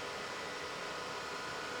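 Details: Bluetti AC200 Max power station: steady high airy fan rush at constant pitch from switch-on, fans flat out because a faulty temperature sensor reads hot (71°); reconnecting after the test fix did not cure it. Fans at full speed from faulty temperature sensor.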